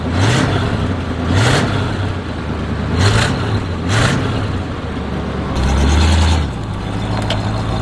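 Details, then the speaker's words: 1976 GMC Vandura 3500 RV motorhome V8 with new NAPA cables, carburetor cold, in the driveway; even idle with light throttle blips rising and falling cleanly, no exhaust ticking or puffing; strong, quiet, running normally. "Well, she seems good in the driveway. Strong. Wow, I can't believe she's so quiet."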